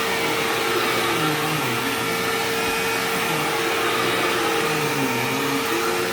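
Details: Sharp Twin Energy vacuum cleaner vacuuming a living room: a steady high whistle holds one pitch over the rushing motor. The squeal faded after running a while and partly returned at shut-off; cause unknown.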